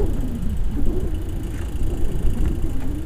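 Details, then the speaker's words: Beechcraft Musketeer engine, dormant six months, shower-of-spark ignition, started on starting fluid: low ragged rumble with uneven firing that never settles; it fires but gets no fuel, traced to the fuel selector. "there it fires if I can get fuel to it maybe it'll run let's try that again there okay I'm pretty positive there's no fuel go into it"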